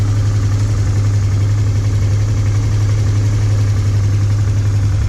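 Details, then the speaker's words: Honda Transalp 650 V-twin, warmed up after two minutes, following a spark plug and air filter replacement; steady, even low idle with a slight light ticking considered normal for the model. "Работа ровная, чистая. Есть небольшое подстукивание, но мне кажется, это нормально для Трансальпа."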